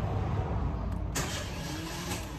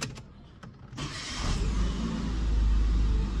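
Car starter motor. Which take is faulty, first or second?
first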